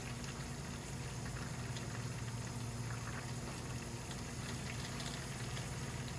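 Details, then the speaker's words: 1988 Lotus Esprit: the fuel pump drains bad fuel from a nearly empty tank, with the pickup at the back of the tank. A steady pump hum breaks into irregular gurgling bursts as it draws air and the hose convulses. "Every now and then you can hear the pump pick up a little bit of air, and you'll see the hose kind of convulse as it has air go through it."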